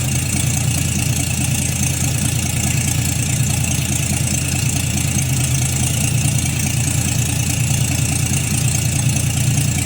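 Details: 1952 Chevrolet Styleline 261 inline-six, first start after full rebuild with mostly new internals, rebuilt carburetor, oil pressure slow to rise; low steady rumble at even idle, no clear knocks or misses; running smoothly.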